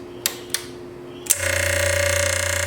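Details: Rancilio Silvia espresso machine that had zero pump pressure, post-repair test after vibratory pump replacement: a few clicks then a steady loud even buzz as water flows up and fills the boiler; pump working correctly.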